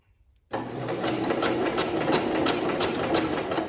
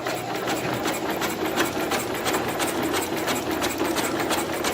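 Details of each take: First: 1970 International Cub Cadet 127, sat 10+ years as a parts tractor: fast, even cranking with no firing or catch, and no spark. Owner suspects a bad spark plug or a dead coil and tries a different plug. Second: 1970 International Cub Cadet 127, sat 10+ years as a parts tractor: electric starter cranks the engine with the spark plug removed after the voltage is raised. It gives quick, even whirring pulses about three a second and spins freely.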